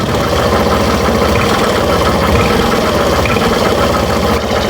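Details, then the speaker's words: Suzuki Burgman Street scooter revved on the stand: a rough scraping, sawing rasp rides over the engine and rises with throttle, from the CVT torque drive area; suspected worn torque drive bearing grinding. "Ah ang problema nito kapag pinipiga natin siya ah parang may sumasabay ka niya. Parang may sumasabay bawat pihit niya mga boss na parang nilalagari."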